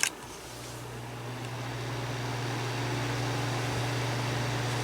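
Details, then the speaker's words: 1997 green Duracraft DT-7 Series Turbo Fan with an unbranded motor, running on low speed: a steady low motor hum and an even rush of air with no rattle or scrape. Not loud but strong airflow for its size; normal operation. "it's running, and it's not that loud, but it's pushing out a lot of air. Really, it's pretty good airflow for the size."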